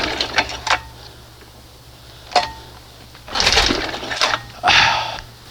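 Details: 1971 Johnson 20 hp two-stroke outboard, after choking four pulls and setting the throttle just past start: scattered rope pulls, each a short rasp with no firing; won't start, plug dry, owner suspects the bottom seal is leaking.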